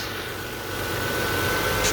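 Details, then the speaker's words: 2003 Toyota Camry V6 after alternator belt replacement, running with AC compressor engaged: even, steady engine hum with no chirp or squeal; belt tracking straight and tension correct. "Nice and smooth. Beautiful. Tracking perfect. Everything's good."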